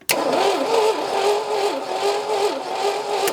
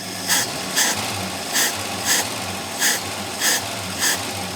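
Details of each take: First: AMC Rebel SST sitting 35 years since 1989, cranking with coil hot-wired from the battery; uneven loping starter whir about 2.5 beats per second never catches; no spark, and the owner says the engine seems to have zero compression. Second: AMC Rebel SST after 35 years sitting, running after fuel pressure/needle-and-seat flooding issue settled; a few clicks then steady even idle with deep smooth burble through a glass-pack muffler, no longer rattly.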